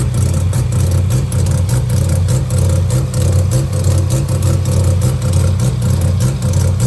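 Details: Mazda 12A bridgeport rotary at idle: lumpy idle sagging and recovering roughly every half second, an irregular misfire stumble; owner unsure whether electrical or something else.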